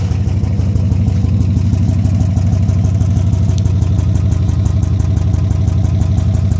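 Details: 2002 Pontiac Bonneville SE after an hour-long drive at about 75 mph with the oil pressure gauge reading near zero and what sounded like a miss: steady low clattering knock about three per second over rough idle; owner suspects the engine is done, bottom-end damage unconfirmed.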